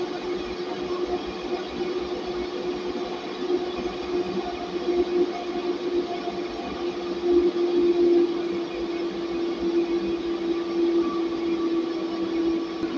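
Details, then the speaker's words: Server-rack cooling fan (DC motor) on a 20A 60V PWM speed controller, 53.3 V input, output turned down to 29 V: steady even fan hum, no rattle or grind, running normally at slightly reduced speed. "ini tegangannya di 29 volt putaran kipasnya juga agak sedikit berkurang"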